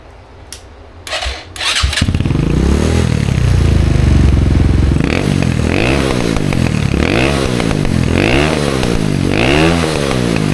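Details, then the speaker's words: 2020 Chinese Apollo 250cc dirt bike after carb cleaning, clogged main jet cleared: a few kicks catch, then single revs up and drops back cleanly, repeatedly, without bogging; now revs out all the way, normal. "All right, so got the carb cleaned. The main jet was all clogged up, so it actually revs out all the way now."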